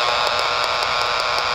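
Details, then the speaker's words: Power line impulse noise hunted with a Yagi antenna on UHF airband around 300 MHz: constant hiss broken by sharp crackling pops about five a second, very loud near a particular utility pole; suspected arcing interference, not confirmed. "this appears to be the pool. However, when I wave the Yagi around, it is so loud."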